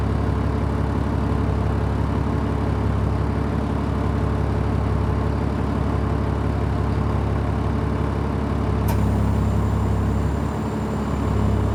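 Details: 2003 Stewart & Stevenson M1078 diesel truck at cold start on a cold morning, idle steady and even with a deep rumble, revs adjusting slightly on their own while warming as the central tire inflation system fills tires to highway setting; normal cold idle.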